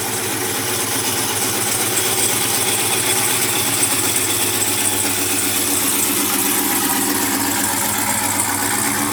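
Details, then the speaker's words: Freshly built 1971 Chevy Chevelle convertible with a brand-new supercharged LT4 V8 swap, CVF pulley kit and new exhaust, idling. A smooth, even idle with a steady hiss over a soft exhaust rumble and no misses or knocks; normal. "That sounds so good. Huh? That sounds so good."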